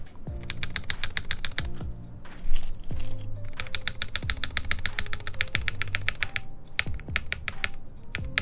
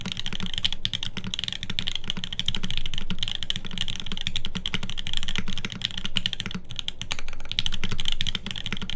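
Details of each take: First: TGR Jane v2 keyboard on a UHMWPE test plate with flex cuts, OP Black switches, and a GMK spacebar. Between light key clicks, a dull hollow thump lands each time the spacebar bottoms out; the plate is suspected of hitting something, not confirmed. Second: TGR Jane v2 keyboard rebuilt on an aluminum plate with Tribosys-lubed OP Black switches and GMK SoWaRe keycaps: quick, even, crisp clacks from steady typing with no rattle or ping. It sounds like a healthy keyboard.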